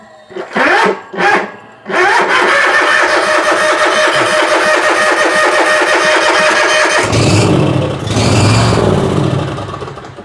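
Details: Bobcat zero-turn mower with a 20 A fuse fitted: two short cranking bursts, then it fires and runs about five seconds before sagging and dying. A fuel issue is suspected.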